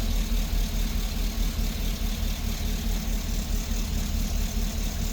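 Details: GMC engine at idle with a cylinder 6 misfire and P0420 code: low rumbling idle with an uneven, loping pulse about one and a half times a second, a cylinder dropping out; plug, ignition wire and catalytic converter later replaced.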